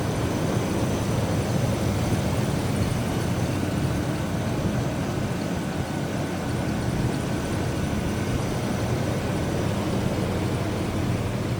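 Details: 1998 Chevrolet Blazer LT 4x4, Vortec 4.3 L V6, about 62,632 original miles, clean engine bay, hood open: a low, even idle hum with no knocks or misses. It is a smooth, steady rumble; normal idle.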